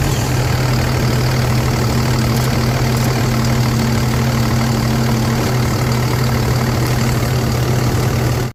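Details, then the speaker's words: Truck that had lost all power with a black dashboard, reconnected after vibration loosened the connection: smooth, steady low idle with an even drone and no stumbles; running fine after the fix. "so the truck is running everything is good"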